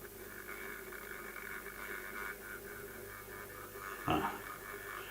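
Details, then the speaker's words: Bachmann EFE BR Class 74 electro-diesel model locomotive, controller output smoothing cut from 200 µF extra to model plus 10 µF: noisier soft buzzing hum with wavering whine and a brief clunk, but better slow crawl; possibly bogie linkage vibration. "Well, yes, it's noisier, but look how much better the crawl is."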